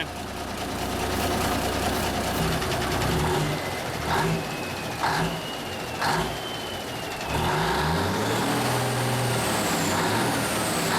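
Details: 1974 Kenworth W900A, Cummins NTA420 diesel, idling inside a building after three years sitting: steady low rumble with brief air hisses and clunks around it; runs even. Normal idle.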